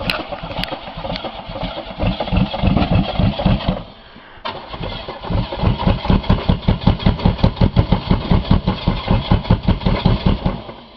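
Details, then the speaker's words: Buick 3.8 (3800) V6 run with a connecting rod removed, holed block and little oil, restarted after cooling: catches, stumbles and dies, then lumpy uneven chuff about two or three pulses a second, having lost more cylinders. "dude it definitely lost more cylinders oh without a doubt"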